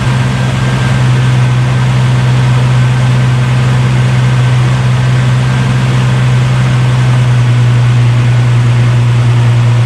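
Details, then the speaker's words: Holden VL Turbo Commodore after a temporary CDI ignition upgrade with trigger amplifier: a little hard to start, then a steady low idle with an even beat, no misses or knocks, running smoothly. "Alright, so it was a little hard to start, but it started up, so it's obviously getting the trigger pulse"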